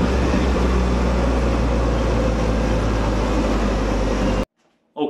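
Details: Commer van with 2.3 turbo under load on road test after fresh spark plugs and new in-tank fuel pump: steady even drone, no stumble; misfire gone, performance much improved.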